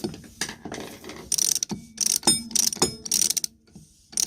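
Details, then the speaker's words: Lewmar Wavegrip 16 self-tailing one-speed winch after servicing, lubrication and pawl spring replacement: bursts of crisp, rapid, even clicks as the drum turns, every pawl snapping cleanly. Ratcheting normally. "that sounds good"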